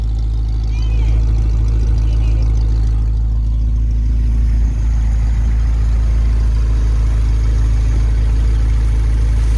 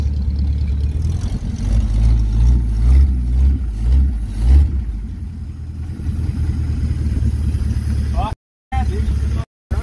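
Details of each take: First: 1951 Pontiac Chieftain engine idling while warming up to temperature after coolant fill: deep, steady, even rumble, no misses; no coolant or oil leaks seen, sounds healthy. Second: 1951 Pontiac Chieftain, first run after months of revival work, no radiator fitted, smoke appearing. Loud raw throttle blips swelling and falling back with open blatty roar; exhaust broken off partway along the pipe, engine otherwise sounds pretty good.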